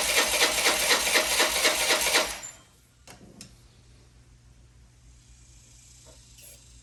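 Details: Old Honda Elite 80 scooter on the bench, no throttle cable, run on starter fluid: brief buzzy, ragged running with uneven pulses for two seconds, then it dies; rough running, owner thinks it needs exhaust back pressure.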